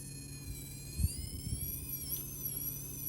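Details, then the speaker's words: Castle Nano 1/24 ESC with a small brushless motor crawling slowly: steady, high-pitched stacked-tone switching whine with soft low thumps. Smooth low-speed crawl is hard to achieve, and the ESC performs worse than a Furitek Lizard in the same truck. "I can't believe they came out with a new system that does not silence that. The good old Castle whine."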